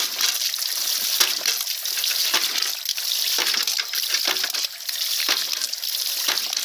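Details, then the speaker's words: Ram pump with homemade spatula-spring waste valve, weight added to slow it: water rushes steadily, broken by sharp valve slaps about every half second to second; slower cycling gives bigger water hammer and more output; normal cycling. "you can see how it slows down when that weight is put more on the valve [Music] you hear how slow that is you got a bigger water hammer more wastewater and more water output"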